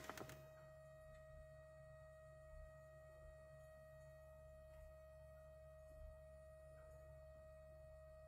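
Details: 2011–2012 VW Passat 1.6 TDI (CAYC) during service, fuel pump run via diagnostic tool: quiet steady thin hum at constant pitch, no stutter or grinding, lasting about a minute; normal priming.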